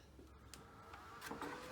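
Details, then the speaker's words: Fronius inverter (Galvo/Primo/Symo/ECO) fan run at full speed on the bench: uneven whirr with irregular scrapes and clicks, likely debris fallen from the heat sink channel catching in the fan. Not confirmed. "you can hear the fan there going away, and that's at full bore. Usually the inverter is going to be controlling the fan speed, and it's going to be going a little bit slower than that."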